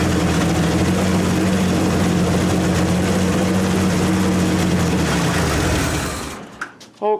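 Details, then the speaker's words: 1927 Hudson, running after sitting about seven years: steady, fast, even beat that never settles, so the idle is set too high. Owner plans to back the idle off and set the points. "I'm gonna wanna back the idol off for a little bit on them see if I can get Idol down"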